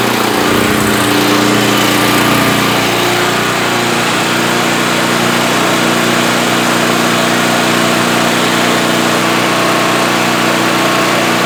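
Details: Generac GP5500 generator after repair of a locked-up engine with a cylinder head/valve fault, tested for making power: constant, steady drone at governed speed without surging, misfires or mechanical knocks; runs healthy.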